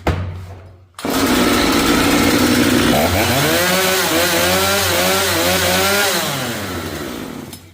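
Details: Chainsaw that would not restart after being stopped until its spark plug was cleaned, with carb H/L screws reset and max rpm about 11,500–11,700, tried after standing half an hour: it catches at once and revs cleanly and evenly; normal start after standing.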